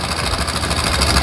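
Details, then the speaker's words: Older carbureted Honda Supra X125 at idle, mic held close: fast dense metallic chatter from the top end, noisy for a long time; slack cam chain, cam chain tensioner found damaged. "Suaranya seperti itu teman-teman ya. Berisik sekali. Dan ini keluhan dari yang pemilik motornya, ini udah lama sekali suaranya seperti ini ya teman-teman."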